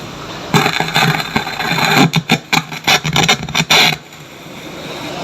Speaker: Oke, suaranya seperti suara berderak, dan sangat keras, speakernya benar-benar berderak.